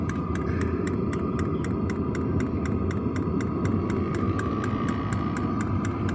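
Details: New diesel heater just installed in a Jayco Freedom caravan, heard from outside near the exhaust after start-up: steady low combustion roar with crisp, even fuel-pump clicks about three per second; normal diesel heater running.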